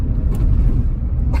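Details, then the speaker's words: 1986 Porsche 930 Turbo, four-speed, heard in the cabin with windows up: only low road rumble and engine drone over a bump, no squeaks or rattles; tight, solid car. "you can really feel that the tires are all because you can feel the road more so than those two and hit a bump here you'll hear there's no squeaks or rattles"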